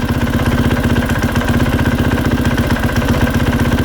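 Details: 2020 KTM 450SXF idling with the clutch being pulled in and let out: a light, rhythmic tapping or clunking from worn rubber clutch dampeners.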